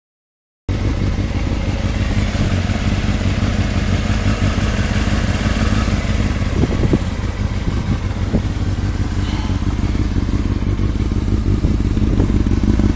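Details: Honda CBR600F motorcycle idling with a loose, uneven clatter and a few throttle blips; engine knocking noise, source not pinned down.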